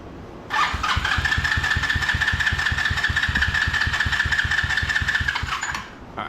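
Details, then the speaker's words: $40 125cc ATV quad, fresh gas, in neutral, choke closed: a steady starter whir with quick, even compression pulses for about five seconds, never catching; weak spark from a half-seated spark plug cap. "I totally forgot to put the spark pug little thing on all the way so that would kind of make sense it's kind of getting half spark"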